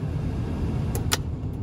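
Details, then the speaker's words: HVAC blower motor in a 1982 C3 Corvette with LT1 swap, fixed by connecting the unplugged AC connector, run through low, mid and high speeds; steady low whir without rattle or squeal, blower running normally. "it turned out in here the AC connector was not connected that has to be connected so we got low speed going mids Speed high mid and"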